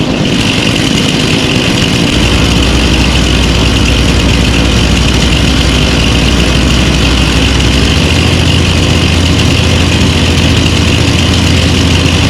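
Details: Lawn mower engines (stand-up, push and big mower) idling after winter storage, unused since December with fuel stabilizer added: a loud, steady, even low drone with no knocks or misses. A normal idle.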